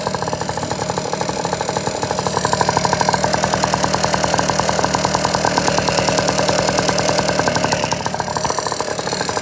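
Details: Piaggio NRG two-stroke scooter after new crank, crank bearings and cheap 70cc big bore kit: rapid metallic ticking over the idle, steady with engine speed, seemingly top end; piston not hitting head when checked, cause unknown.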